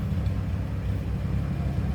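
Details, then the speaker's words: 1954 Chevrolet 3600 pickup, inline six, idling at the tailpipe (new exhaust pipe, not smoking) while still warming up: a steady, low, even rumble with no misses, ticks or knocks. Runs smooth, as expected. "Sounds good. What you would expect the truck to sound like."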